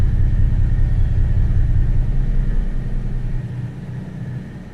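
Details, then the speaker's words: Carbureted Jaguar V12, sat 6 years, one fuel pump not working, light choke: deep uneven rumble with lumpy, loping pulse instead of smooth V12 hum, exhaust weak on one bank; misfire, running on about 7 of 12 cylinders. "So let me just fire it up. You can hear what it sounds like. That's not running on all cylinders."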